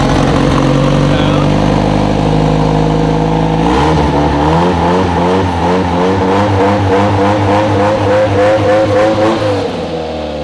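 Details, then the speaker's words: Project car first fired up after a jump start: deep steady engine note, then quick throttle blips that climb and settle cleanly with no misses or knocks despite many exhaust leaks and an earlier over-enriched start; runs smooth and healthy. "why does it sound so smooth I'm not questioning it it's good good k your car [Music] runs sick"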